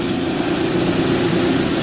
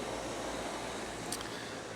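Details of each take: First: Bryant/Carrier rooftop package unit with the thermostat bypassed into cool mode: a heavy, vibrating, lawnmower-like droning roar with a buzzy hum and occasional knocking. Heavy belt dust was found. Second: Bryant/Carrier package unit after replacing the worn blower motor, motor pulley and belt, thermostat jumped to stage 2 cooling, new motor drawing 1.6 amps: smooth even rush of air, no thumping or rattle, no longer lawnmower-like; 57°F supply, 75°F return; normal blower operation.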